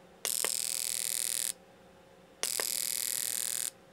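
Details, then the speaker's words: Fuel injector on bench with pulse tester kit, mode two medium pulses, battery powered: two roughly one-second bursts with sharp clicks then fast high buzz as it opens and closes; injector firing properly. "but you can hear the injector opening and closing now"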